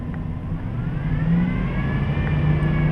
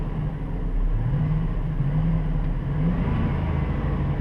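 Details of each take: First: 2007 Dodge Durango engine revved above 2000–3000 rpm: medium to high-pitched whine rising with rpm, barely noticeable at low rpm; not the power steering pump (no noise when steering); caused by a worn serpentine belt idler pulley bearing, replaced. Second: 2007 Dodge Durango engine revving above 2000–3000 rpm after replacing the serpentine-belt idler wheel: smooth, even low rumble, and the earlier whine that rose with rpm is gone.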